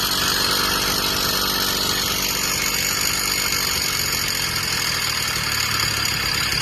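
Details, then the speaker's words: Freshly self-built two-stroke motorized bicycle, just started: a fast, buzzy idle holding a raised pitch instead of settling low. The idle is set too high and is being adjusted down. "adjust it down a little bit. Alright, but yeah, I'm gonna test it for a nice test run."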